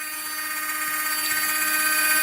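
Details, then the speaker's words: LGB small locomotive 7-pole motor and reassembled gearbox on bench supply at 20-24 volts, about half an amp: loud steady high whine rising slightly in pitch, noisy but smooth; normal gear whine at full speed. "So this is 20 volts, and this is 24 volts. As you can see, it makes a lot of noise."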